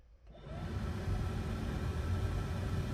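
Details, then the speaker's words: 1967 Mustang heater blower motor, yellow wire disconnected and grounded to chassis while troubleshooting fan not working: low steady electric hum spins up and holds even; motor good, fuse-box power and wiring to that point good. "i know if you can hear that but the blower motor is running so that's telling me that power coming from the fuse box to the blower motor is good and that this wire connection from the the motor to this point is definitely good"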